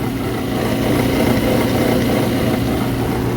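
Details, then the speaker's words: Exhaust fan motor, bearings suspected going bad; greasing quieted it briefly before the noise returned: steady loud fan roar with a rough, gritty low drone, sounds like a dry motor bearing; motor to be replaced preemptively. "to me it kind of sounds like a dry bearing"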